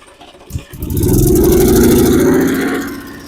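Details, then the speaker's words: Abandoned mower that had hydrolocked with fuel in the cylinder, after clearing it and fitting a new spark plug: catches after a brief crank and climbs to a high steady roar. It runs, but the throttle is possibly stuck open and it wouldn't shut off. "well then well we know she runs but that thing took off"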